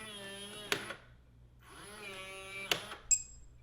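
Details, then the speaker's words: Lockly smart lock self-test after the last battery is fitted and the program button held: two short whirring motor runs with rising pitch, each ending in a sharp click, then a bright beep; a healthy self-test. "Last one, and press and hold the program button. You hear it beeping, and then release."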